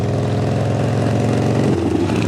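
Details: 1975 Harley-Davidson FLH Shovelhead revived after long storage, with the rear cylinder lifters readjusted after bleeding down; even, loping V-twin idle with steady low thump and no rocker clatter; healthy.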